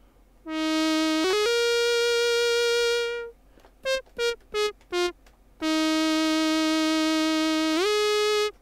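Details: Casio DH-100 digital horn after squeal fix, saxophone voice with breath control, through mixer without effects: clean sustained notes, smooth pitch glides and short staccato notes, no squeal; plays properly.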